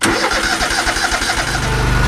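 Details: Old John Deere lawn tractor that sat for years, first ride after revival with safety switch held on and choke likely needed: about a second of rhythmic cranking, then it catches cleanly and settles into a smooth, steady idle; healthy start.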